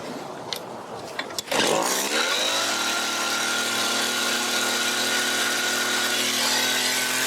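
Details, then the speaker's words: Mac GHT 17 hedge trimmer two-stroke after new fuel lines and carb rebuild: a few pulls, then catches and settles into steady even high buzz, no hunting; runs clean, needs no adjustment. "All right, that's it. It's done. Runs really good. Doesn't even need adjustment."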